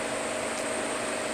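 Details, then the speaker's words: Walk-in cooler that won't cool below 55°: a steady airy hiss with a faint high tone at the TXV, which stopped when the thermostat was raised to 60 and the liquid line closed; suspected TXV underfeeding from low refrigerant charge, not confirmed. "it's probably my TXV underfeeding meaning we're low on charge first let's see if we can hear it click there's a click so as soon as I turn this thermostat up to 60 by liquid line slowly closed and the hissing stopped"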